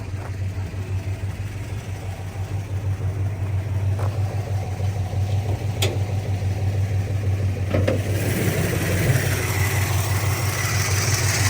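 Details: Plymouth with stock Carter carb, after several minutes idling with exhaust now clean: even, raised idle that never settles, still sitting on the carb's fast-idle step; also backfires under hard throttle when driven.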